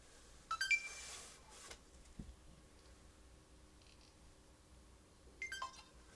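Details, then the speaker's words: Roadside-found Xbox One on the bench, new power button strip, hard drive hanging out the back, fan fitted but not screwed in: power supply appears to flash, SSD spins up, two short chirpy beep bursts, no fan spin, no boot; owner suspects RAM chips or APU. "I can hear that SSD spinning up. No fan spin. Beep on, beep off."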